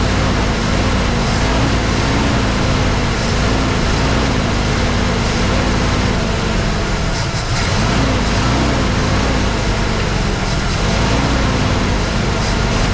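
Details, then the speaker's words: 1983 Mercury Capri RS that sat since 2013, carburetor reportedly rebuilt, new fuel filter, first run: the idle note wavers and dips every few seconds, struggling to hold steady. No knocking or smoke; the choke is a possible cause, unconfirmed. "she's having a little bit of a hard time idling"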